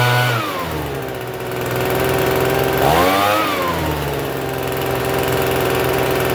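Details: Free Troy-Bilt TB272V two-stroke leaf blower, restarted after sitting and being worked on: settles after a blip but holds a fast high-pitched buzz instead of a low idle, still idling a little high even with the adjustment turned out as far as it goes.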